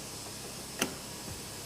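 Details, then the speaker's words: Fiat Uno driver's door lock after replacing the lock motor, whose internal gear was damaged and had made a noise: a single sharp, clean click with no grinding or motor whir, working correctly. "Fiz a montagem aqui do motorzinho, ó. Da trava aí. Tá funcionando certinho agora."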